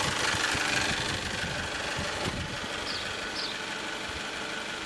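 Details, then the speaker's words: 1998 Toyota RAV4 at a quiet idle: a light, quick top-end clatter of about three to four taps a second grows as revs drop. Owner suspects valve shims worn to the edge of tolerance from neglected oil changes after the head was redone. "you hear more clatter as it gets slower [Applause] it's not obnoxiously loud but it's noticeable"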